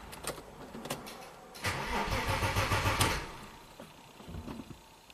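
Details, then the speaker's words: Engine-swapped Audi A4, crank no-start with no trouble codes and weakening battery: slow tired cranking about three beats a second, never fires; no rpm signal, later traced to damaged crank sensor wire. "no rpm so i want to see this crank sensor signal"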